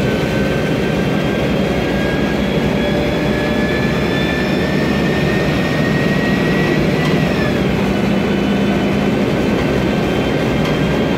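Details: 2007 MAN Lion's Classic CNG city bus, MAN E2876 LUH03 EEV turbo engine, Voith DIWA 864.3 4-speed automatic, noisy Voith gearbox: steady high whine over engine roar, climbing gently with speed then dropping off; automatic transmission whine.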